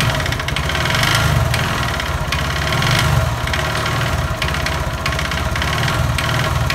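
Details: Honda Verza idling with loud white smoke: rough note with fast dry kletek-kletek clatter and slight rumble; suspected scored piston or connecting rod, later found scored, damaged piston, with oil passages needing cleaning.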